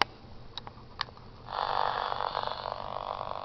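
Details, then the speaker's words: Small solar-charged pulse motor running: a few faint clicks, then a soft buzzy whirr with quick uneven ticks, about four a second; normal running. "okay that's what it sounds like just running here"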